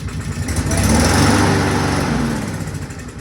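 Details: Engine with a freshly rewelded exhaust cranks in uneven chuffs, swells briefly, then fades without catching. The carburetor is suspected, and forcing fuel into it is planned.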